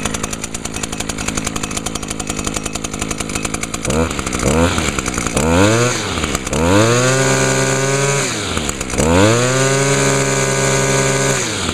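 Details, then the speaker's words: 2011 Echo PAS 230 with a 22.8 cc two-stroke engine, just started using choke and primer: quick throttle blips climbing to a steady high-pitched buzz; revs freely and runs clean, at a much higher RPM than the SRM 225. "yeah as you can hear that this one runs at a much higher RPM than the srm225"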